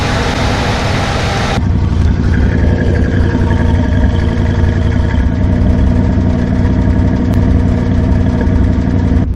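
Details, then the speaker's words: 1991 Ford F-150 just started, weak-sounding battery, idling before warm-up; loud, uneven, stumbling idle with a dead miss from an injector plug chewed in half, possibly two misfires. "obviously having that injector plug chewed in half, it's gonna have a dead miss, and it does. It almost sounds like we have two misfires actually."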